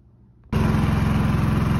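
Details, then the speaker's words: Predator 3500 Super Quiet inverter generator, after its carbon monoxide shutdown alarm was bypassed: catches at once and settles into a steady, even chugging run with good voltage output; normal running after start-up. "all right that is it she is up and running got good voltage"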